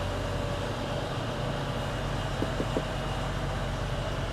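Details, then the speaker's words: International 1666 combine's Cummins diesel, cranked with fuel off, then fuel turned on: fires right up and settles into a steady, even low idle rumble with constant tone, no knocks or misses; healthy engine. "There we go, now I'll turn the fuel on. Fires right up. That's a Cummins for you."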